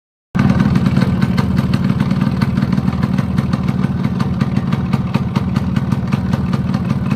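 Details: Yamaha RX100 two-stroke at idle: rapid, sharp metallic knocking about four per second; owner suspects worn piston or small-end (gudgeon pin) bearing, unconfirmed.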